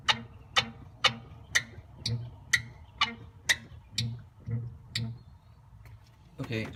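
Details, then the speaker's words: Two-week-old 034 Motorsports rear sway bar end link, bottom spherical bearing squeaking after rain; car bounced by hand: sharp squeaky clicks about twice a second in step with bounces, worse when driving; PB Blaster silences it: end link bearing squeak. "you can hear a little bit of the squeaking it's much worse when you're driving because I simply can't put enough force on the car to get it to squeak as loudly as it does while you're driving"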